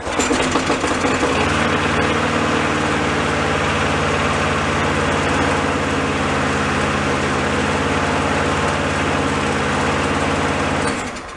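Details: Neighbour's push mower that would not start, low on oil and found water-soaked, running after troubleshooting: small single runs steady and even for ten seconds without misses, then winds down cleanly at shutdown; normal running.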